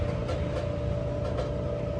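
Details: Whirlpool WED5100HW0 dryer running: steady low drone with thin whirring tone and faint recurring swishes from a scraping blower wheel; fixed by replacing the blower.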